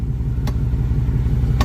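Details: Jeep Grand Cherokee 4x4 Hemi creeping slowly on the brake: sharp single clicks about a second apart from the drivetrain underneath over a low idle; owner suspects the front driveshaft U-joint or front axles, not confirmed.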